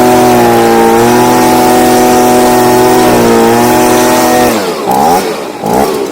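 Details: Stihl BG55 two-stroke leaf blower, formerly no-start, on new C1Q-S68G carburetor replacing a torn-diaphragm carb, during carb adjustment: steady high buzz with clean even revs, then dropping off smoothly; running well.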